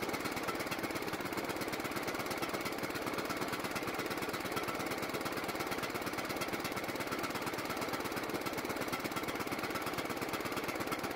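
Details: John Deere riding mower single-cylinder engine, carburetor primed with gas, putters fast and unevenly with a rough hunting beat, staying running only when partly choked and dying otherwise; lean running, carburetor suspected.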